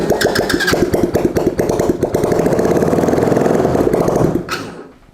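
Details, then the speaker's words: Track sled engine's first test start, jump box for power and a smidge of ether, with no exhaust fitted yet: harsh, raw crackle of sharp firing pops at idle, then shutdown; sounds weird because there's no exhaust. "there you go so she does run it does sound weird cuz there's no exhaust on it yet"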